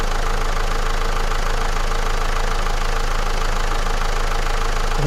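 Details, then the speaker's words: Renault Clio dCi diesel idling after a Turbo Revive treatment for stuck turbo vanes, held at 2000 rpm during the treatment, then air intake reattached: even clatter at steady idle, no hunting or misfire; motor sounding better, normal idle. "hear the motor sounding better right then okay"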